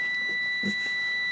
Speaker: Yep, that's a good transistor.